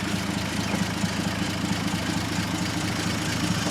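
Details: 1948 Dodge B1C pickup, flathead six (owner thinks 3.8 L/230), rebuilt years ago, revived after long storage with new start solenoid: smooth even idle with light regular ticking from the voltage regulator; healthy.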